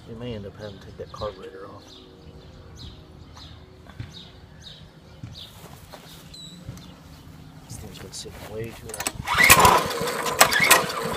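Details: Mini-bike not started for six years, sprayed with starting fluid, with the clutch sticking: repeated pull-over chugging never catches, then a loud clattering burst; it won't start, and the carburetor will be removed and cleaned.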